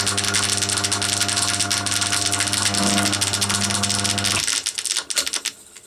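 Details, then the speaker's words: Scrapyard Crompton Parkinson 180 W (about 1/4 HP) single-phase induction motor with bearings oiled, running on mains: hum with a fast, uneven internal ticking rattle, sounding shaky at the pulley end. The pulley was found loose; the source of the noise is still uncertain. "it does sound a bit shaky at that end i wonder if that's something to do with that"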